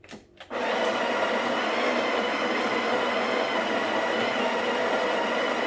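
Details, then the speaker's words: Breville BES870 built-in grinder grinding about 9 g, one half of a double shot, straight into the portafilter. Steady high-pitched motor whir with even gritty grinding and no knocks or labouring; normal grinding. "i'm going to be grinding the coffee um straight to the portfolio and you know what just for consistency i'm going to be using a scale"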